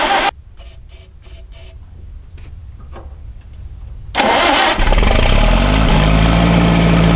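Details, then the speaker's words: 1961 Oliver 550 tractor after carb jets were cleaned and new plugs fitted, at full choke: sluggish cranking with a few stumbling fires, then it catches roughly and labours unevenly. Contaminated fuel is starving it, and it needs full throttle, full choke and starting fluid. "okay so after all of that seems that the only way this thing will even try to run is Full Throttle full choke and a little bit of starting fluid right there at the start"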